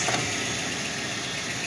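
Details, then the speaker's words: Ford Flareside truck, first start after about four years parked, with a switch changed: a short stretch of smooth, even idle with no tapping or knocking; it sounds fine, though faults are still unknown. "vamos a dejar todavía un rato lo que hace pero no se escucha mal señores"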